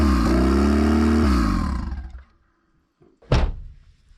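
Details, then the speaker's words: 1996 Nissan 200SX SE-R turbo, sat outside over winter: starter groans with a falling whine for two seconds, fades out without firing, then a single thunk; slow cranking, first blamed on the battery, later suspected to be a loose positive connection. "Well, that battery is definitely unhappy, so I'll either swap it out or put it on a charger and we'll reconvene in just a minute."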